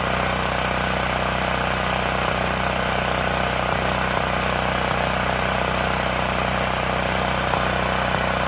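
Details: Extreme Contractor Series 6,500 W (8,500 W surge) gas generator, bought almost 20 years ago and long stored, after revival and a bolt tightened to cut vibration: steady, even drone with a regular low beat, no misses or knocks; running smoothly.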